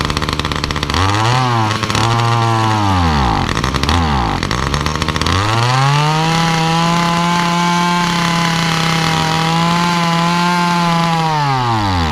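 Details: Titan multi-tool hedge cutter, small two-stroke, cold start after priming: revs rise on throttle, then sag and stumble twice before holding a high scream. Bogging under throttle whether cold or warm, blamed on the faulty carburettor, which is to be replaced.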